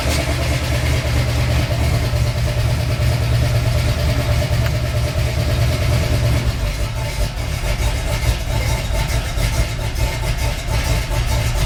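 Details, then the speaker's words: 350 Chevy V8 after a valve adjustment and carburettor tweak, idling in gear: deep, steady burble with a light throttle blip, smoother and more responsive but still needing tuning; an annoying valve noise remains. "more happy in gear we still got some tuning to do no doubt but I think she's half here"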